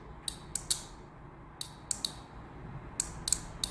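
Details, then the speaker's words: Car relay bench-tested with battery power on terminals 85 and 86: crisp, sharp clicks in pairs and triplets as the contact pulls in on energizing and clicks back on release; healthy relay. "When you touch, there is a click. When you release, there should be a clicking back."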